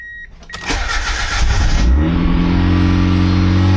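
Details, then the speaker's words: Boosted Mazda Miata, first start after engine reinstall, VVT problems still present: after a short crank it catches, flares briefly, then settles into a smooth steady idle with no knocking and good oil pressure; normal idle. "It's running, sounds good. Sounds good. Purring like a kitten."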